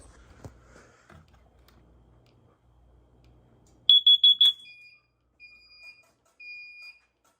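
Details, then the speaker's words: Carbon monoxide alarm and strobe set off for a monthly test: four sharp high-pitched chirps, then a repeating steady two-tone beep pattern from the sounder. "let's set off our carbon monoxide strobe I think I actually didn't do it last month so we'll do it this month"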